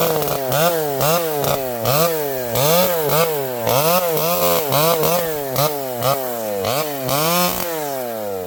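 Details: Vintage chainsaw with a governed carb cutting a leaning tree: revs rise and sag with each cut, giving a four-stroking blubber under load that can't be leaned out. Normal running.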